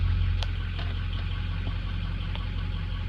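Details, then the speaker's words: 2003 diesel, warm idle on a hot day after start-up: even low rumble with no knocks, misses or surging; engine idling smoothly. "pretty freaking smooth of course it's pretty warm out"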